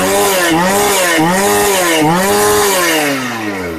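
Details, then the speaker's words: Shindaiwa 757 chainsaw, normal running: snaps up to high revs and drops back cleanly several times, crisp and even; cuts with strong power, much stronger than a 365, roughly on par with a 381. "Máy cắt rất là lực, mạnh hơn 365 rất là nhiều. Cái này nó tầm nó ngang ngửa với lại 381 mọi người nhé. Cho mọi người nghe lại tiếng nổ một lần nữa."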